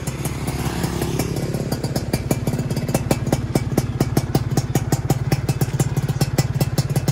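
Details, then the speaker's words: Freshly rebuilt Yamaha F1ZR two-stroke, new piston and new block at zero oversize, idling during break-in so parts can seat: even steady popping, no knocks or rattles; normal break-in running. "Oke jadi ini kita lagi Ron dulu e karena pistonnya baru bloknya juga baru ya biar Duduk dulu"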